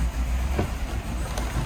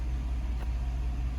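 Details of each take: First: 2015 GMC Sierra 6.2 V8 at idle: rough and uneven, popping and moaning, without the clacking or tapping of lifter failure. The cause was found to be a misfire from a broken valve spring. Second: 2015 GMC Sierra 6.2 V8 after replacing a broken valve spring (suspected lifter failure): smooth, even idle with a deep steady rumble, idling down properly, no ticking or tapping from the top end.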